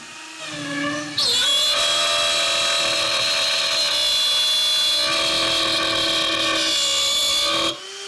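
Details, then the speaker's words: Shapeoko Pro CNC router pushed past recommended feeds and depth of cut in wood: spindle whine turns into a loud, harsh screech growing louder as the bit struggles under an overloaded cut; risk of burning the wood. "The one thing you can hear is the screeching gets louder and louder, which means it's really starting to struggle."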